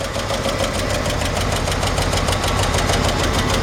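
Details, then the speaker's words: 1953 Chevrolet 5-window pickup, old inline-six converted to 12-volt, with a blown exhaust manifold donut: steady idle with fast, even valvetrain clatter, the normal clicking of solid lifters. "Hear the solid lifters clicking away, and I remember the first time I got one of these about 12 years ago, and I called a buddy of mine. I said, man, the engine on this truck clickety clacks a lot."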